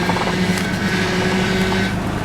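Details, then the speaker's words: 1997 Toyota 4Runner idling, wheels straight, leaking power steering with fluid added: steady even whine with low hum underneath; owner suspects the power steering pump is bad, not confirmed, possibly just low fluid. "The one thing is, no, it's humming. Yeah, no, so most likely that power steering pump is bad as well, so I'm going to have to do both of those."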